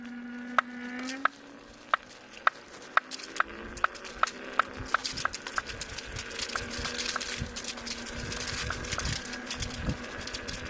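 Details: Kingsong S22 with its second, new hub motor: sharp regular clicks, two to three per second, over a faint motor hum, speeding up as the wheel turns faster. Knocking from the new motor.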